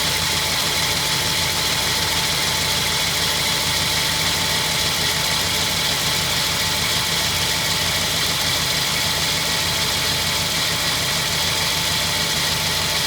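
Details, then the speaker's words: 1952 Ford F1 flathead, cold start after sitting 7 days, choke pushed back in, rebuilt carburetor and new spark plugs: steady even idle, smooth low rumble, no ticking or knocking, idle set well; normal idle. "You'll see there's no ticking, there's no knocking. Everything is running nice and smooth. Idle is set perfectly."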